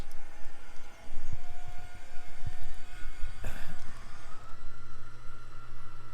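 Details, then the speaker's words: 2012 Ford F-450 crane service truck, new V-10 gas engine with 19K miles, 5,000 lb AutoCrane with 3-stage boom on wireless control: pulsing low rumble, then steady pump hum and faint whine as functions run; all hydraulic functions work normally. "All the functions work like they should. And then actually the third stage also comes out too. It all works."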